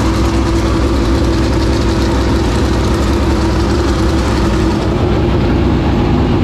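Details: 465 cubic-inch V8 race engine, first start in three years and after fuel pressure was improved: a deep, loud, steady rumble with even firing and no misses or stumbles; normal running.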